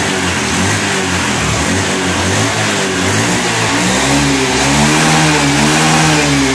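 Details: Honda Scoopy FI scooter after injector cleaning, fuel pressure at 40: engine idles and picks up cleanly on each throttle blip, settling back without bogging. Before the fix it stalled when throttled after the tank was cleaned. Healthy revving.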